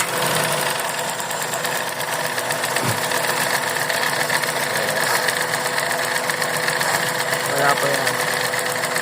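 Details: Suzuki Celerio small petrol engine idling unevenly with a fast, ragged ticking: a misfire caused by spark visibly leaking off the ignition coil instead of going to the plug.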